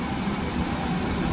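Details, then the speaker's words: Vulcan convection oven, the unit not working at all, fan on low, door switch pressed. Steady, even whoosh with no squeal, scrape or wobble: blower motor running normally; the fault is traced to ignition instead. "I'm going to hit this door switch right here. As you can see, the motor's turning on."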